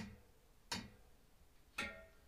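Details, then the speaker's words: Bicycle wheel with a makeshift broken-spoke repair using climbing cord and knots: two short plucked pings that die quickly, slightly dull, with plenty of tension in the spokes. "there's a lot of tension in there and if we ping the spokes it's a bit dull"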